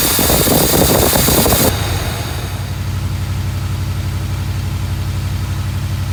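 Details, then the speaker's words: 1982 Mercedes 380SL: engine settles from a loud rev into a fast, steady idle around 1500 rpm that stays too high; high idle, idle speed control module suspected. "I'm sure you noticed from the video that the Benz is running good but it's idling at 1500 RPM which is wrong"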